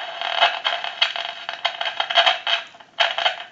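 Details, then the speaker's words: Grand desk telephone whose owner reported constant noise, heard amplified through a pickup on the handset after dialing to remove the dial tone. Irregular bursts of sharp crackle and scratching with no steady tone: a noisy line, cause not yet found. "it is very noisy now that is amplified"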